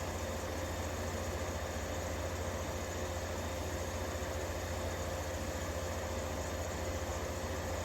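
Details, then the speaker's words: 1953 Fedders Weather Bureau room air conditioner, serviced, with Tecumseh S-series 1/3 hp R12 compressor running. Steady low mains-frequency hum, even unbroken drone, no knocks or rattles; normal, healthy compressor running. "Just listen to some nice Tecumseh S-Series noise for a minute or two while I go get the watt meter. Because I'm very curious to see what it's actually putting out. Man, that sounds good."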